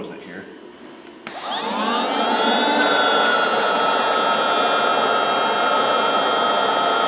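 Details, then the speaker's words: 2007 Mazda RX8 1.3L rotary with P0411 and P2259 air injection codes, air pump replaced four times elsewhere: pump spins up to a steady even whine and changes tone as the valve opens and closes; secondary air pump operating normally. "okay it does all right so that seems to be opening and closing"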